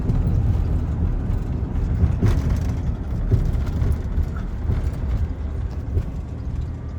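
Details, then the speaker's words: 2000 Ford Ranger 3.0L V6 idling very high and revving with foot off the gas, a fast steady drone; owner suspects sticking idle air control valve; fixed by cleaning dirty mass air flow sensor, throttle body and idle air control valve. "Alright, so my truck is idling super high. Just dropped a little bit."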